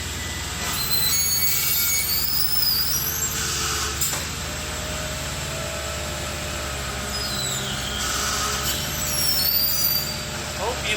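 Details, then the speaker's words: 2008 Mercedes-Benz S550 (2WD), engine idling and stationary: high, sliding squeaks and squeals from both front wheels as the steering wheel is turned; front suspension squeak, which also occurs over bumps. "let's put that on the leaf to see if we can find exactly pinpoint what is causing this horrible squeaking"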